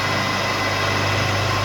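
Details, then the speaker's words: MRSh-3 three-phase rail grinder, delta-connected, fed three phases from a capacitor-started motor acting as converter on single-phase 220 V; steady even hum with no surging or rattles, running fine. "Пожалуйста, все работает."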